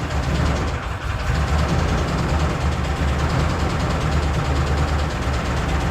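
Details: 1981 Chevy Corvette V8 restarted after engine reinstall, timing found about a tooth off and possibly corrected: light, fast lifter ticking that follows engine speed over a lumpy idle. A loose passenger-side rocker arm was found; owner fears a bad lifter or cam lobe.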